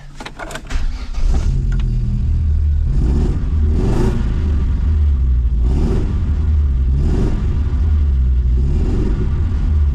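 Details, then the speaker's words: A-reg Vauxhall Nova 1.6 injection catches and holds a fast idle but stumbles with uneven dips every second or so, misfiring perpetually; injector number two later suspected. Engine misfire. "try the next stage seeing Hyatts misfiring perpetually"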